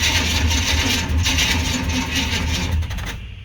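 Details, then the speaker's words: 1995 Chevy Silverado C1500 with swapped-in 350 TBI, nearly 300,000 miles, no start with a weak battery going dead: harsh metallic grinding over slow cranking, then cuts off; flywheel or starter teeth suspected worn, starter itself not bad. "does sound like the flywheel or starter teeth might be a little wore out the starter itself is not bad battery's going dead"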